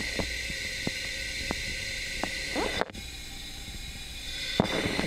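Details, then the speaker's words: Yamaha YZ 250F engine freshly rebuilt with new rings, valves just adjusted, leak-down test with hose to mic at crankcase: faint steady air hiss past the piston rings, normal blow-by despite new parts. "so that tells us where the weak links in the engine and for the crankcase we know it's the air coming through the rings even though everything's new and i do the ring gaps there is of course some air coming through the rings that's the reason why we hear that facing noise"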